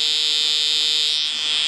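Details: QRP Pixie transceiver kit giving only a loud steady hum or high-pitched tone instead of audio; traced to a bad LM386 audio amplifier chip.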